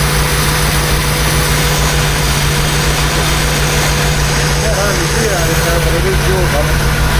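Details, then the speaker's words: Restored 1976 BMW 2002 carbureted engine, first run just after starting, warming up: smooth, even, quiet idle with steady low hum, no knocks or misses; healthy engine. "That thing's quiet. E, [Music] sounds like a BMW."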